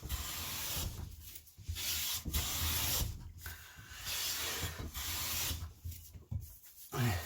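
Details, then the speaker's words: Hand plane after fixing a tracking problem caused by a cupped blade bed that let the iron ride on its center, with wax applied to the sole. Long, even shearing strokes about every 1.5 seconds with no chatter or skipping; it cuts cleanly. "just keep remember keep applying that wax on the sole um and that'll make pushing the plane a lot easier there we go there we go they're coming to me now"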